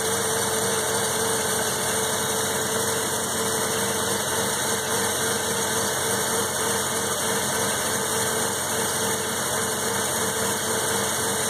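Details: 1984 Mazda RX-7 12A rotary, cold start after sitting 13 years, 47°F outside, warming up: steady idle with an even buzzing hum and a constant high whistle, no misfires or knocks; normal cold idle.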